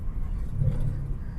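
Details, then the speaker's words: 2005 VW Beetle, sat unused since 2019, ABS light on: at road speed a steady low droning rumble under tyre noise, worse turning left, gone turning right; driver-side front wheel bearing suspected. "oh yeah goes pretty fast a bad wheel bearing somewhere goes pretty fast"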